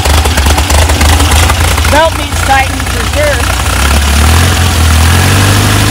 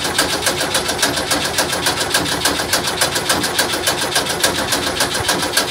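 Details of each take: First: VW double cab (bus) air-cooled engine after an engine fire, restarting after rewiring the melted distributor wire and keeper and refitting points; catches and settles into a fairly even idle, a bit lumpy at first, no misfire or knock; belt needs tightening; normal idle. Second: VW bus double cab after an engine fire (owner suspects a leaking carburetor linkage): even starter cranking at about three and a half beats a second that never catches; crank no start, fuel pump being checked, cause unconfirmed.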